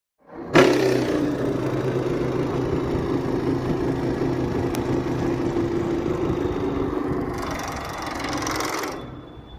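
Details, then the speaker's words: Lloyd split AC indoor unit blower motor runs with a loud, rapid, tractor-like knocking rumble instead of a smooth whoosh; fixed for ₹5 by reinforcing with Fevikwik and flour. "इस AC में sound जो कर रहा है उसको सुनिए tractor की तरह एकदम साउंड कर रहा है।"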